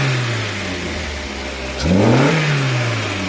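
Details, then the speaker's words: Peugeot 205 GTI petrol engine that would not start from cold, idling steadily and revving cleanly with the idle control valve unplugged. A wiring fault (missing earth) in the idle control valve circuit shuts the engine down when it is connected. "it sounds fit as a butcher's dog until this is our idle control valve"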